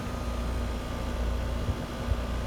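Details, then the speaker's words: Bottom-floor AC condenser after the fan motor was replaced under warranty: a low, even hum with a soft airy whoosh and no rattles or scraping. Fan and compressor run quietly and healthy. "This is the bottom floor, but she's nice and quiet. Sounds good to me, and like I said, she does not want any further servicing or not even a check and clean or any of that."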